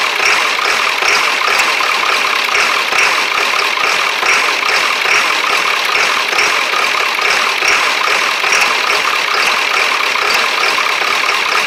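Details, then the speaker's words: Early 1999 Ford Super Duty 7.3 diesel, cold weather, after fitting a 1994.5 HPOP: uneven, lumpy clatter stumbling irregularly at idle with white smoke; seemingly not all injectors firing. Owner suspects air in the lines or old summer diesel. "doesn't feel like all my injectors are fired getting a bunch of white smoke out there"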